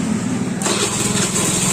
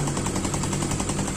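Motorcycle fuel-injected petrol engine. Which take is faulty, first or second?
first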